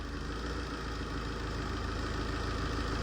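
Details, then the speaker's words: Tata diesel pickup after ECU replacement: revved and idling evenly with a steady low thrum, knocking gone, no fault codes. "เบิ้ลไม่มีเขกแล้วนะแล้วก็โค้ดไม่มีในกล่องนะฮะ"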